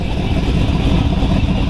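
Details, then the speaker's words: 1932 Ford Hi-Boy roadster, 265 CID flathead V8 (60 over bore, '49 Merc rods, S.C.O.T. 404 cam, S.C.O.T. blower), started in neutral indoors in the shop; it starts right up with a deep, steady, lumpy rumble, no knocks or rattles; normal idle. "Just turn this key on. Starts right up. Rumpity rump. Kind of fun doing cars inside."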